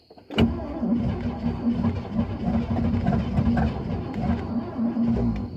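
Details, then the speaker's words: 1964 Cadillac Fleetwood engine on temporary fuel supply: starter cranks, engine stumbles and churns unevenly without catching cleanly, not getting enough gas; carburetor needs rebuilding. "this is just more proof we're not getting enough gas"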